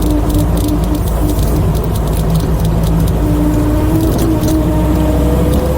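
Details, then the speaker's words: 1972 Toyota Celica on track at speed, after a new clutch, brakes and carb, still unable to rev out properly: heavy low rumble with a thin rising whine from a failing front right wheel bearing. "Even though he still couldn't rev out properly and the front right wheel bearing was absolutely crying. Can you hear that wheel bearing?"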